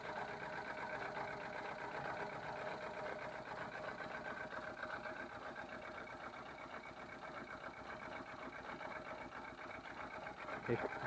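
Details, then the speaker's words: 1999 VW Polo 6N1 petrol: uneven, lumpy rough idle, seemingly worse when warm, after new head gasket, injector 2, HT leads, throttle body and coolant sensor; sooty plugs, compression low on cylinders 2 and 3; misfire, cause unknown. "hi everyone hello 6n1 think we're terrible rough idle help"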